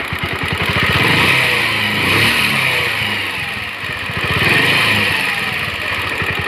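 Idles then revs and drops back, with a harsh rattly, buzzy edge riding over the exhaust beat; something is off, but the cause is unclear.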